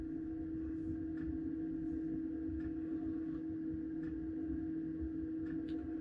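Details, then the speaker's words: Planar diesel heater in microlite trailer, freezing temperatures, controller at minimum; steady low fan hum with faint soft ticks every half to one second, fuel pump heard through tube, pulsing normally like clock hands. "and if i'm really quiet you can hear ever so slightly the fuel pump noise coming through the tube"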